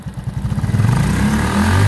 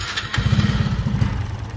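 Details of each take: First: Honda RSX Fi scooter after its intermittent high-voltage spark was traced to a dead ignition coil: the engine putters at idle, then revs up cleanly on throttle with no stumble or loss of power, showing normal throttle response. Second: Honda RSX Fi scooter with severe throttle hesitation and no error code: the engine chugs unevenly and stumbles instead of revving cleanly as the throttle opens, because the failing ignition coil gives an intermittent high-voltage spark.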